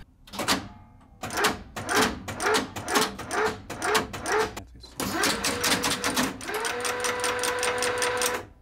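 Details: Budapest HÉV suburban train: bursts of sharp clacks in quick steps, then a steady whine as it settles; normal traction contactors stepping through.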